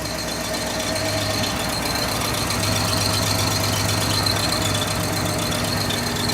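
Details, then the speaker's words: 1969 Buick Riviera GS V8 revived after 30 years sitting: thin, high metallic squeak at steady pitch over the idle, seemingly from the rear; suspected transmission, unconfirmed. "yeah it is I don't know what that was that's is a transmission I know it I've never heard one squeak like that though that sounds like metal yeah like thin metal"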